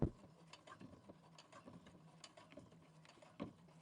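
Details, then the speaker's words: Brother Innovis A150 sewing machine crossing a thick denim seam at about 4.5 mm stitch length: quiet uneven ticking and clacking with heavier thumps as the needle pushes through, but it keeps stitching without skipped stitches; strained needle penetration. "So you can hear it, it's pushing itself through, but it is okay."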